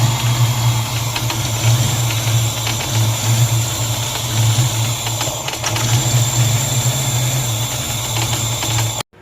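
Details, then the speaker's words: 1994 Ford Mustang GT convertible after crank-no-start work; raised idle with wavering drone rising and sagging, then abruptly cuts out, little exhaust from tailpipes; hunting idle ending in stall, cause unconfirmed (PCV valve later found shot). "Every time we start it up, it starts idling high 12,300 RPMs and then starts this nonsense and shuts off."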